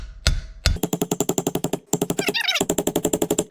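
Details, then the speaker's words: Trailer hub seal being driven in with slow, even metal taps about six a second, then the note firms up and sharpens as the new seal seats fully home after bearing packing. "you'll hear that sound difference there we go we're in with a new seal"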